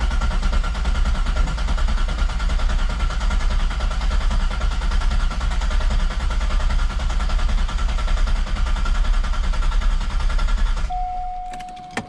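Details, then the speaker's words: Corvette with a freshly rebuilt V8 put back in, first crank in neutral with the e-brake on and a freshly charged battery: long cranking, uneven and galloping at first, then evening out as compression builds; no oil pressure seen on the gauge yet. "Healthy fucking battery. I just charged it. I just had it on the charger. You hear it? You hear the compression? How it just started building up?"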